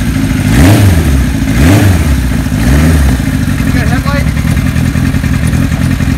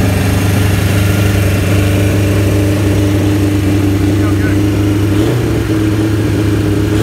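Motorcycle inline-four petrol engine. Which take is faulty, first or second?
second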